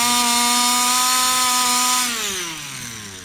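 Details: Customer's Baja 5B RC two-stroke with a cleaned carburettor and no smoke: a high, buzzy note holds steady, then falls away unevenly as revs drop. Carburettor versus piston ring is in doubt. Poor running.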